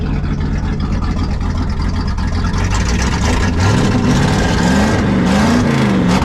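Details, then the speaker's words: 1974 Ford F100 4x4 390FE big-block V8 just started with an electric fuel pump: low, loping, hunting idle close to dying, with heavy smoke and a raw fuel smell. Running extremely rich, suspected as part of the problem. "then yeah the way that thing is smoking and the way it's choking you to death it's running extremely rich I think that's part of our problem"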